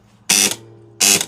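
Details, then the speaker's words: Gottlieb pinball 10-point score reel operated manually by its relay: harsh, rattling clatter on each step, far noisier than a clean snap; likely an indented worn coil stop, possibly an over-heavy spring. "Right, now that noise is more likely than not the coil stop is indented in that reel. It could be that, or if at some point in time someone's cut the spring may be too heavy, but I put my money on that coil stop."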